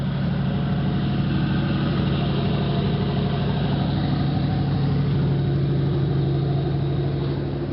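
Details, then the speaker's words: 1986 Oldsmobile Cutlass Supreme 305ci Chevrolet V8, warm restart after sitting 60 days; fires right up and idles with a smooth, even low rumble, no misses or knocks; probably still needs a tune-up. "Now it fires right up. So, just needs a good run. Probably needs a good tune-up too. I've never done a tune-up to this car, so you know, running pretty nicely there now."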